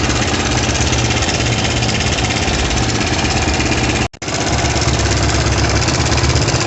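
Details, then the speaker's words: Zongshen ZS177MM engine on a Kovi Pro, 1300 on the odometer and 44 engine hours, started knocking the day after a ride; heard through a stethoscope at idle, clutch play and valves checked fine: single-cylinder thumping with irregular hard knock; timing chain and tensioner to be checked next. "Так, сейчас я тут флейту вставил, чтобы было слышно, как стучит. Сейчас заведу."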